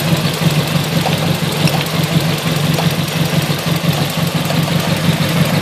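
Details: Nissan CA18DET at idle: shaky, very rough, lumpy idle stumbling about two pulses a second, with one cylinder dropping out. Unplugging coil two makes no change, yet there is spark and fuel; misfire cause still unknown.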